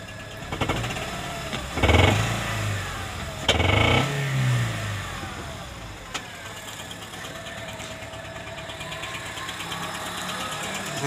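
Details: Honda Civic Hybrid, codes P1024 valve pause system stuck on and P0300-P0304 random misfire; rough idle with fast light clatter over engine note that grows louder on each throttle blip; loose rocker arm chattering, valvetrain noise.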